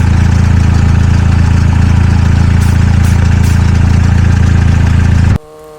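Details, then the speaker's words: High-mileage (308,000) VW Golf GTI at idle, revved to heat the exhaust during leak repair: fast even puffing pulse, about four per second, over the low engine note; a missed exhaust leak needing more sealant. "I somehow missed this leak when I was checking it the first time so now I have to apply more gun gunum"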